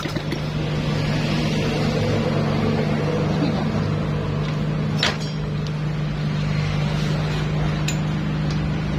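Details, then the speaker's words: Freshly assembled Honda Supra-series motorcycle engine idling with no muffler; loud, raw open-pipe bark at a steady idle, even firing, no knocks or rattles. Normal idle. "Namun ini mohon maaf dulu nih, sebelumnya ini akan berisik sekali soalnya ini knalpot tidak ada ya."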